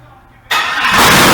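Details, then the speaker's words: LS-swapped Nissan 300ZX Z31, first start after fitting intake and wiring harness, fuel system not hooked up, run on sprayed brake cleaner: quiet, then engine catches abruptly and roars to a loud steady run; it fires. "Hell yeah, guys. Started up. I can't believe it started."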